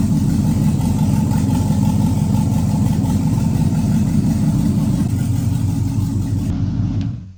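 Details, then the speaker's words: 1967 Chevrolet Camaro SS with LS engine swap and new fuel return, first start: deep, even V8 rumble rising smoothly with throttle, no knocks or misses, then shut off; healthy running engine. "there we go. We have a running 1967 LS swapped Camaro. This thing turned out great, guys."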